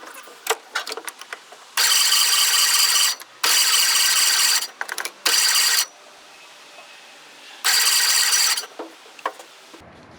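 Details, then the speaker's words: Austin Gipsy on 11-year-old petrol with fuel poured down the carb, 50 psi oil pressure while cranking: repeated starter bursts, engine turning but never firing; no spark, ignition points burnt, likely from the key being left on. "got good oil pressure it's showing 50 psi just cranking over I'm guessing I got no spark points are a little burnt so maybe the key was left on for a while"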